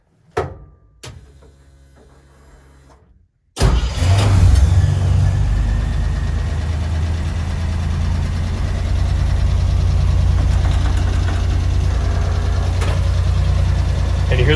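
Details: 1964 Willys CJ5 Jeep with a redone Chevy 4.3L V6 swap: fires after a pause and idles with a light, quick ticking rattle over a steady drone. The valve-train noise persists after the whole engine was gone through; cause unknown.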